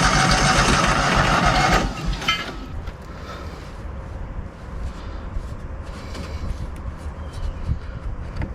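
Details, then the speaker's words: Kohler engine on a Hobart 10,000 W welder generator: loud cranking, tries to catch, then dies to uneven sputters without a steady run; owner suspects too little fuel after pumping much out, or it not yet priming. "maybe I pulled a little bit of fuel up and maybe it's going to Prime I don't know foreign maybe I don't have enough in it I mean I had to pump out a bunch of fuel but I thought it actually would be enough"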